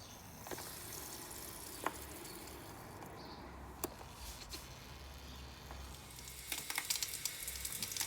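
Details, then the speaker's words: Truma Ultrastore water heater after replacing the electric heater element, drain valves and taps shut, refilling system to check leaks: soft steady hiss and trickle of water with a few light clicks; normal water filling. "the water you can hear going into the system. You can hear it filling up."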